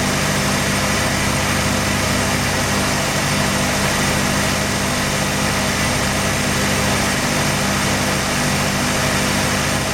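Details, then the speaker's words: Mazda RX-7 rotary that failed inspection with very high CO (2.70): rough idle with an uneven, stumbling exhaust note and shaking; no oil pressure shown, ignition leads already measured. "I noticed that he's misfiring. It has a rug idle, it shakes a bit, and he makes a peculiar noise when I crank it for the first time."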